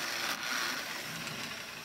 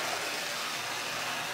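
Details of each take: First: Lionel #60 trolley, 50+ years old, on test track after full repair and cleaning, power almost all the way up: small motor gives a steady high-pitched whir, much quieter than its earlier growl, with a slight grind; normal running. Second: Lionel #60 trolley motor, decades-old garage find, with power almost full: steady rough hissing buzz with a gritty, growling edge, no clean hum; growling motor.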